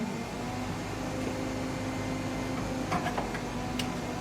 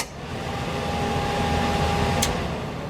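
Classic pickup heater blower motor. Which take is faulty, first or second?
first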